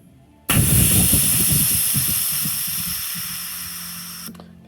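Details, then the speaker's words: ARB air compressor and locker on a bench test: a sharp onset of steady hiss fading over about four seconds as the stored air bleeds off through the solenoid. This is normal venting. "bled down our power our uh our stored air now we're gonna have to fire up the compressor again"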